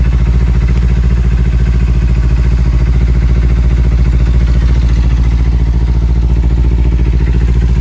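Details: Kawasaki Ninja 300 with a tik-tik noise traced to a faulty chain tensioner: with the tensioner's 10 mm bolt loosened, the idle is steady and even with no ticking. Tightening it brings the tick back.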